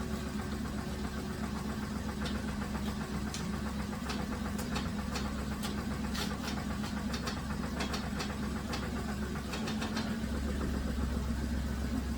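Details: 2007 Dodge Grand Caravan idling with irregular sharp ticks and knocks, strongest mid-clip; loose torque converter bolts suspected first, unconfirmed.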